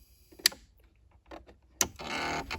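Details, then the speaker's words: Pfaff Ambition 1.5 sewing machine, intermittent rattling from underneath at switch-on: sharp clicks then half-second harsh buzz, wheel not turning to initialize; feed stepper motor failure, not circuit board or sensor. "So it's a stepper motor problem. It's not coming from the circuit board."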